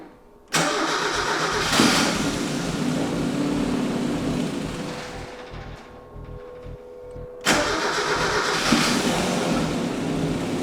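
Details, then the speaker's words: Mazda Miata NA 1.6 that sat over 7 years, freshly fitted with ISR turbo kit and standalone ECU on base map: two long bursts of even starter cranking, about four turns a second, never catching or firing; cranks but won't start. "according to everybody online the company that makes the ECU and the turbo kit if we installed everything correctly the car should just fire up up and at least idle with the base map that comes pre-installed on the ECU clearly though that's not the case"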